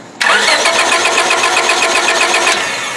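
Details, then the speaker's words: 1999 Honda Civic LX 1.6L, no-start diagnosis: steady starter whir with an uneven cranking beat that never catches; the test light barely flickers on coil negative, confirming a bad ignition coil causing no spark. "there's coil negative crank it pretty tough to see that uh Flicker and crank it again Yep this is a bad ignition coil"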